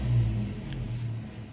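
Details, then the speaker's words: Toyota Kijang 7K carburetted engine after carburetor cleaning, previously stalling intermittently at idle: steady low rumble at a slightly fast idle, no stumbling or dying; running normally, idle to be turned down. "Nah teman-teman, mesin sudah kembali normal. Ini sudah tidak mati-mati. Yang dari sebelumnya pada waktu putaran idle, mesin ini mati-mati teman-teman."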